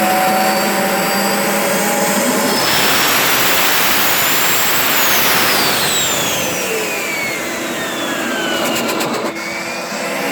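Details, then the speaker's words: Turbo barrel on a cage buggy heating wood for pyrolysis gas: loud roaring rush as the turbo whistle climbs, holds briefly, then sags steadily; it won't stay on boost. "I can't get this thing to stay on boost for some fucking reason. It's being a bitch. I don't know what the problem is."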